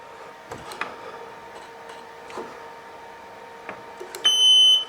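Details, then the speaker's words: Mobility scooter that would not move despite full charge, after a loose connection was refitted and power switched back on: a few light clicks, then one steady high beep about half a second; controller powers up normally. "well she's working anyway"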